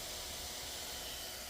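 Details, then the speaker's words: MSI Stealth 15M A11UEK laptop, customer complaint of fan noise, just after stopping CPU/GPU stress tests: fans still at fairly high RPM, steady airy hiss with no grumble or rattle; normal fan airflow. "interesting they're still running at pretty high RPMs even though nothing is going right now"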